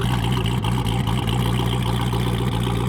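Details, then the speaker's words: Twin-turbo C8 Corvette, over 1300 HP, first start after 10 months of teardown and rebuild: loud, deep cammed idle with an uneven choppy lope of about four pulses a second; normal healthy idle. "Okay. Not as loud as I thought, but listen. You hear that cam starting up?"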